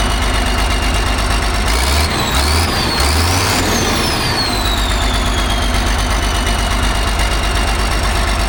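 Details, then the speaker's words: Allis Chalmers 645B loader diesel, just restarted after freeing the sticking injection pump plunger: even, steady idle with a clean regular beat and no missing cylinders; runs well. "Sweet. Sounds like it runs pretty good."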